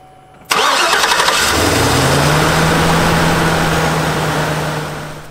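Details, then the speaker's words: 6.6-litre V8 started on a Foxpeed 2500A portable jump starter with battery disconnected, second start: short crank, fires at once, settles into a smooth steady idle; clean healthy start, booster still showing 80%. "okay so that was start number two and it still says that it's at eighty percent but we know it had to use something to start that engine a second time"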